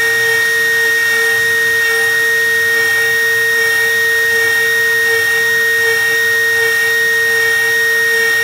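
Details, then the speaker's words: OpenBuilds MiniMill CNC router cutting aluminum with a 1/8 inch end mill using helical ramps: steady high spindle whine with no chatter or bogging; the cut is unstrained and healthy. "This is still a similar cut, but you can really see like, oh wow, this is not struggling in any way. Like, even with these helical ramps down into the material, it's just no problem."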